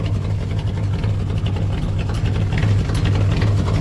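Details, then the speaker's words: 1965 Chevrolet C10, 283 small block, after swapping points for HEI ignition, in neutral, no choke: slightly slow start then low, steady burble with even beat and no misses; idling smoothly. "Was a little slow on the start up. That hi has made a difference. I mean a difference. It's so good now."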